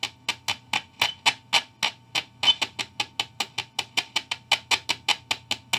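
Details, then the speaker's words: 1955 Magnatone 108 Varsity Deluxe guitar amp, volume full up with the mic pointed down: tapping the 12AX7 preamp tube gives loud, sharp clacks through the speaker, about four a second over low hum; the tube is microphonic and bad. "yeah so that tube is bad"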